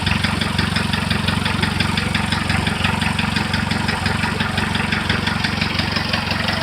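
Sharp regular knock at about three per second riding over a steady idle, even and persistent; a knock of unknown origin.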